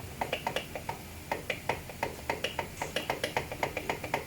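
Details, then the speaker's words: Kawasaki Ninja 650 (ER6N) wheel rocked by hand: sharp irregular metallic clicks, three or four a second; brake caliper bracket loose because the wheel axle is under-tightened. "tuh, bracket kalipernya goyang. Ini dikarenakan apa, Her? As rodanya kurang kencang."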